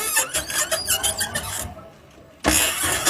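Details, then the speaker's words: New electric tricycle rolling: scratchy squeal pulsing with wheel rotation, louder on pull-away, turning and under heavy load; wheel bolts tightened and half-shafts and bearings checked fine, suspected drivetrain part, cause still unfound. "从声音上区分，应该还是传动部件发出来的声音，因为它是随着轮子的转动产生的噪音。"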